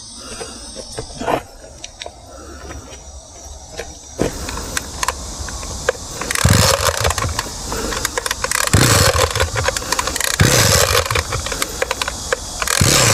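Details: Two-stroke grass trimmer (brush cutter) on 25:1 or 50:1 gas-oil mix that wouldn't start, started without repair with the choke set midway; a few rattly starter pulls, then it catches and buzzes at a steady, even speed; running normally.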